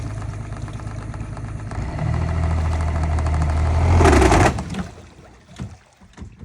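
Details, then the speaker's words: Sea Raider boat outboard motor, old engine: steady knocking at about 220 per minute under the drone until shutdown; lower unit gear damage, with metal shavings and water found in the lower gearbox oil. "yeah there's something not good with a lower end there on it"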